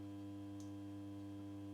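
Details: Mazda Solair 251 luminaire (1987) with a 150 W sodium lamp, set to position 8, lighting slowly without its diffuser bowl: steady low mains hum with a fixed buzz and no flicker or crackle. The ballast sounds normal.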